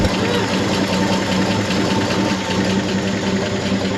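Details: 1963 Chevy C30 inline six, off the road since 1978, idling on its first start in about 47 years with the oil pressure light off: steady, smooth low thrum with no knocks or misses. It is running healthy.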